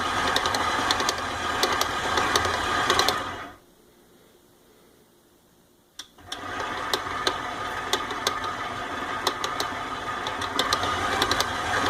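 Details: KitchenAid 7-Quart Pro Line stand mixer (KSM7586) mixing stiff cookie dough makes a steady, sharp clicking of about two clicks a second under load; the manufacturer acknowledges this noise.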